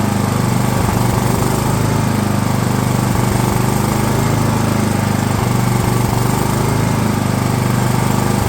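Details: DR all-terrain mower, Kawasaki FV420V engine after years sitting, fuel lines leaking: heavy fast-firing run with occasional stumbles and dips, won't settle to idle; owner suspects flooding, then finds a problem in the bowl.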